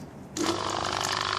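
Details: Wagner 435 7.8 hp diaphragm airless pump (F230 equivalent), brought in for loud noise and hydraulic oil leak, after internal hydraulic rebuild, oil filled to cover return hose: kicks in after a short pause, steady even buzzing pulse, no banging; much better, running normally.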